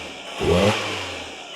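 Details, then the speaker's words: 2025 Toyota 4Runner just after a K&N 63 Series cold air intake install, started to listen for intake leaks: quick rev, then a smooth steady idle with no hiss or whistle; normal start, no leak heard. "All right, I don't hear anything, so let's go ahead and reinstall this factory duct."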